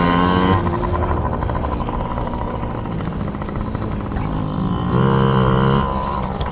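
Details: Yamaha PW50 two-stroke, just after carburetor cleaned (jets, float checked) to cure bogging and dying at wide open; warming up: crisp buzz climbs cleanly through several blips, settles back without stumbling, carburetion healthy.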